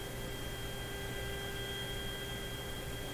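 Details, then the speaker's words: GE CL541A ship radio: a thin steady roughly 3 kHz tone over hiss and hum, quieter with IF alignment screw turned beyond proper peak; suspected spurious noise signal near the 460 kHz IF, possibly shop noise; source unclear. "The other way, like this is beyond the proper peak, hear it less. It just sounds to me like there's some noise signal, maybe not at 460 but at 460."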